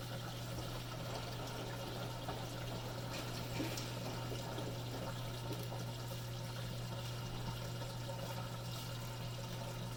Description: Machine will do its pump cycle and "start" the wash cycle (wash mode indicator solid) but machine never fills or progresses.